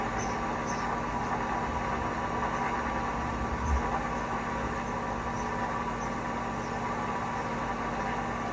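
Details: Hotpoint washing machine in a 1000 rpm spin with bad bearings: constant deep rumble with a steady low drone through the whole fast spin; worn drum bearings.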